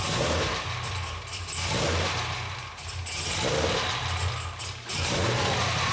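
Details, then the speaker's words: Cadillac CTS-V V8 at first start after BTR Stage 3 cam and new valve springs, untuned: lumpy idle swelling and dropping roughly every second and a half, never settling; no leaks, needs a tune. "Alright guys, so the Cadillac does start, no leaks, it does not idle, it idle surges a lot."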